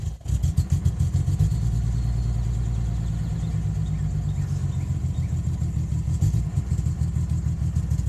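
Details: 1992 Nissan 300ZX non-turbo, newly acquired on a trade: a deep idle with a lopsided, stumbling exhaust beat, dropping a pulse every few firings; a steady, bad misfire at idle, cause unknown.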